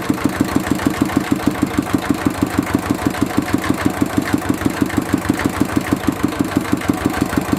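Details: Mitsubishi D-series single-cylinder diesel idling after repair of fuel leaking into the oil sump and white smoke (pump plunger, valve and seal replaced): slow, even thump about three beats a second, holding steady; clean idle.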